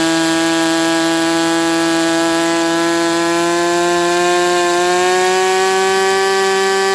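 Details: Sport 40 model airplane glow engine during break-in run, restarted: loud high buzzing scream holding steady, rising slightly toward the end, smooth and even with no misses; running really well.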